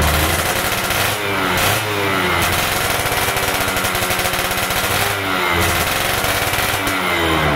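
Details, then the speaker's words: Yamaha F1ZR stock carburetor with a larger pilot jet: crisp two-stroke blips climbing fast off low throttle with rattly exhaust, RPM rising quickly at initial throttle; rich pilot jet setting. "teman-teman lihat sendiri dan dengar sendiri dari tarikan RPM gas awal itu terdengar suara rpmnya itu cepat naik dan lebih perbet ya Nah itulah kalau perbedaan misalkan pilot jeinnya lebih gede"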